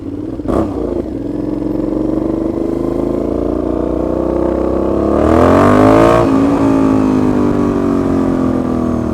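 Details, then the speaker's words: Motorcycle at idle and on a short rev, very loud and raspy, the tone climbing then settling to a rough idle. The owner reports play at the silencer-to-catalytic-converter joint; an exhaust leak is suspected. "le bruit du thym c'est du grand n'importe quoi j'ai croisé les flics se faire défoncer géniaux châtre c'est n'importe quoi juste le ralenti je suis sûr que je pourrai faire sonner une alarme de voiture"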